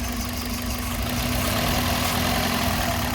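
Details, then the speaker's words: 2003 Toyota Runx, 1NZ petrol engine, idling with an uneven, lumpy pulse after coil 3 is reconnected but cylinder 2 is still disconnected: single-cylinder misfire, better than the two-cylinder miss. "So you hear that, that's a misfire. And I put back 3, it's better,"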